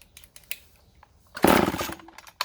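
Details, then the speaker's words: Vintage Poulan Super 25 (S25DAV) chainsaw after fuel line replacement, primed with squirts of fuel and choked: short sputtering bursts, catches for a split second then dies; not drawing fuel, carburetor to be removed and inspected. "I'm gonna take the carb off and look at it again, because yeah, it doesn't want to draw fuel."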